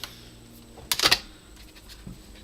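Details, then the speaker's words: Xbox 360 Slim after an RGH mod, with a disc that had got stuck; a quick burst of sharp rattly dot-matrix-like ticks from the optical drive, then quiet, as the drive fails to read properly. "It sounds like a dot matrix there. That didn't sound quite right, mate."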